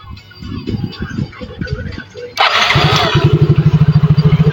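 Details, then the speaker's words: Yamaha Mio J/Soul GT scooter with a weak battery, jump-started from a charger; fuel pump pressure near 40 is within normal. The starter grinds before catching, then a quick, uneven idle; it starts hard and dies when the throttle is opened. Cause not confirmed. "Nah motor mati nah ini nah ini motor susah nyala Mas Ya seperti tadi sekalipun bisa nyala itu e saat tuas gas ditarik gak mau ya Dan motor mati"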